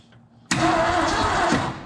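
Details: 1970 Ford F250 with a 351 Windsor, unrun since 1998 and previously stuck, fed from a fuel bowl: the starter turns it steadily for about a second with no firing. Crank-no-start; the owner believes it has spark and suspects stuck rings or valves.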